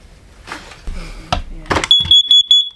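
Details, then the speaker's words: Propane (LP) leak detector in an RV, dated July 2018, just over 5 years old and past its 84-month life: high-pitched chirps after handling noise, an end-of-life chirp, not a gas leak; light showed red instead of yellow. "that's how yep did y'all hear that chirp even though it's supposed to be yellow to tell you that it's it's going bad it was red but we got that chirp"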